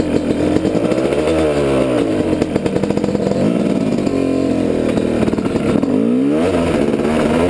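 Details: Yamaha YZ250 two-stroke while riding, GoPro-mounted: revs flare and sag with engine speed running ahead of the pull, a slipping clutch under load; owner plans new friction plates and a new clutch cable.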